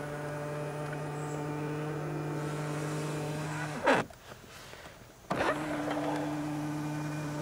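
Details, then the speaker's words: Tesla Model X, about 7 weeks old, middle-row power seat: steady motor hum, a short pause, then even hum with no pop or clunk; the seat moves along without springing, so it is operating normally. "see that it moves along with it so it doesn't have that spring-loaded action"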